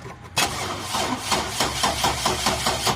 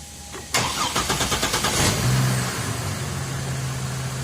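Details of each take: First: GMC truck that previously would not crank: after reconnecting the battery, the starter whirs and the engine catches with uneven chugging but struggles to hold idle and stalls; cranks and starts but still stalls. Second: GMC with earlier crank problems, after camshaft-related repair and new battery replacing one that failed crank test; starter spins briskly about three turns a second under two seconds, slight drag, then catches to steady idle; healthy start.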